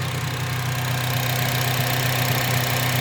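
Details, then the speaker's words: 2006 Honda Civic Si K-series after PCV valve replacement to cure a scratchy, sandpaper-like startup noise near the idler pulley: even idle with light quick ticking about four a second, normal loud injectors. "you hear clicking in the background. That's just um the K series engines are just known for having loud injectors."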